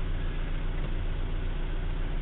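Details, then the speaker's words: 1956 Morris Minor 950 engine, cold, idling at about 1000 rpm with the choke pushed in and 70 psi oil pressure. Smooth, even idle with no strange noises, ticks or knocks and no tailpipe smoke; the engine is healthy. "it's cold but it runs like that all the time as you can see there are no strange noises nothing wrong with this motor"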